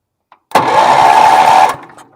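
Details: Bargain Wheel Horse 308-8 garden tractor, rusty ignition, in neutral, being jump-started: about a second of strong, even starter whirr at a steady pitch, turning over freely without dragging or clicking. Normal cranking.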